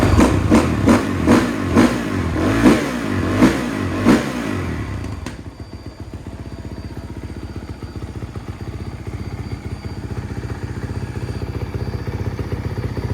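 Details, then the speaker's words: Honda CRF450R-based three-wheeler trike build, 250R theme; sharp single-cylinder revs blip up and drop back cleanly, then a steady, crisp idle; engine sounds healthy. "Sounds sick. Sounds good. Cool."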